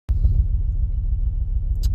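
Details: Ford Focus ST five-cylinder idling with a deep, lumpy, uneven exhaust beat, still misfiring after MAF replacement; the pending code P0101 cleared but keeps returning in live data.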